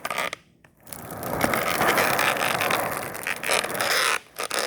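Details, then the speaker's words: Cheap $5 skateboard wheel spinning with phone held close: rough, gritty rattle with uneven clicks as it slows; owner suspects the bearing balls or odd lubricant, not confirmed. "Yeah, I'm really not sure if you can hear it, but it just sounds really bad. It sounds like something sticky, or it might just be the balls inside the bearing with some sort of, they probably got some sort of weird lubricant or something that makes them sound like that."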